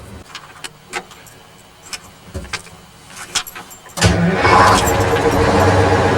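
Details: 1969 GMC 9500 diesel truck with 13-speed transmission, bought at auction, started before a road test: a few seconds of rattling, then it fires and settles into a steady, even idle with no knocks; sounds healthy.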